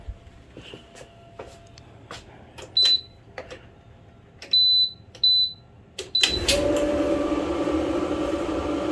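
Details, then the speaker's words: Kenmore dryer after new control board, cleaning and full teardown (had turned itself on, beeped randomly, not heating): panel beeps, drum motor spins up to a steady even hum with smooth tumble; normal start, heating element warming. "all right so so far so good let's make sure it's heating"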